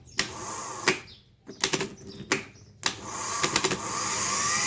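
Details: Starter motor from a Mighty that would not start and made a clicking noise, with glow plugs and battery checked OK. After repair it is bench-tested on jumper leads from the battery: sharp clicks, then a clean rising whir with no grinding. Normal starter spin.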